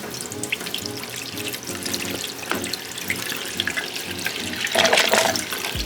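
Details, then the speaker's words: Drain pipe in 20-year-old house after high-pressure cleaning, water running: irregular rushing and gurgling from water and air entering under good pressure, no backing up, silent when water stops; drain clear, not clogged. "มีเสียงเสียงแปลกๆแต่บ้านหลังนี้แรงดันน้ำดีน้ำไหลกับอากาศเข้าไปในท่อระบายน้ำเสียงเกิดจากปริมาณน้ำดังนั้นเสียงนี้ไม่มีส่วนเกี่ยวข้องกับการอุดตัน"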